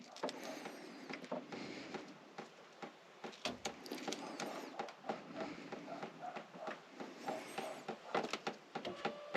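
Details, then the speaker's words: 1979 Mercedes 450SL that sat untouched for 9 years: electric fuel pump powered directly with a power pack buzzes in uneven, stuttering bursts instead of a steady hum, so it is running rough. "so this should be a fairly quick easy test foreign not very well doesn't sound good does it"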